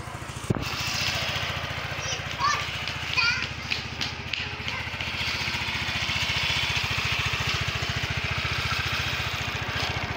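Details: Yamaha Mio 125 (Mio M3) single-cylinder scooter after a new original cam chain tensioner replaced the faulty one that caused a rattling noise: steady, even low-thump idle with no rattle or ticking.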